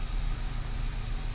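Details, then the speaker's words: Renault Clio II 1.4 16v running after the fuel pump under the rear seat was replaced: a low idle rumble with an uneven, wavering beat. The idle is still unstable, so the pump swap did not fix it. "le problème est toujours là ralenti instable donc pas de succès encore"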